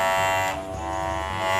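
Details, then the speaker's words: Hair clipper running with a loud, harsh steady buzz that bothers customers; the strong hum usually comes from the blade. "akan membikin apa namanya bisingnya ditelinga pelanggan kita nah saya akan memberikan tips bagaimana caranya bunyi dengung ini hilang"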